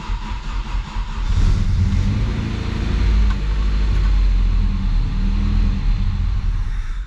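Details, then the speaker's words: Chevrolet Vectra sat 10 years: engine catches and surges in uneven swells instead of a steady idle, only staying alive with extra throttle; conclusion is clogged fuel injectors. "chegar à conclusão só pode ser os bicos injetores cara"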